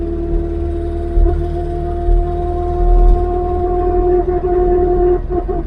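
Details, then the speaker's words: Mk3 Ford Cortina driving on road after propshaft replacement: a steady mid-pitched whine over road and engine rumble from the rear axle. It is very noisy and the axle still needs fixing. "As you can hear, it's very noisy. The noisiest one I've ever heard. Woo! That's one noisy mama of an axle."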